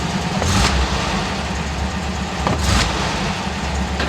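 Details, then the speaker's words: 1967 VW Westfalia Bus air-cooled flat-four after swapping the 009 distributor for a correct vacuum advance distributor: it starts cleanly and settles into a smooth, even idle with crisp blips, and the earlier gurgling flat spot is gone. "yeah i'm liking this distributor a lot more for sure so we're going to wrap up the video engine sounds nice uh to me uh nice and smooth"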